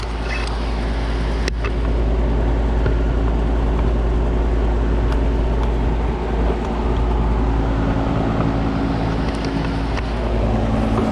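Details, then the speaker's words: Carrier AC condenser on a no-cooling call, fan blowing: deep steady hum from the compressor as it tries but fails to start; capacitor suspected and checked next. "i came around here fan blowing but i don't think the uh compressor is running feel like this cool this cool air blowing i don't know if you heard that you can hit a compressor trying to"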